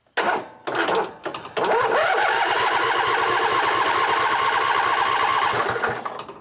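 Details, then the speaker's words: Cub Cadet LT1550 lawn tractor with a two-barrel carb that won't start: starter drags the engine slowly, about three labored beats a second, like a dead battery even though the battery was just charged. The anti-backfire solenoid is not clicking. "actually cranks like it's a kind of a dead battery and I know I just charge that battery"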